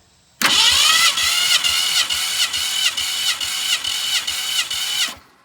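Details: 1965 Ford Fairlane barn find sitting since 2001, cranked during compression test; even compression beats about twice a second, none weak; normal cranking.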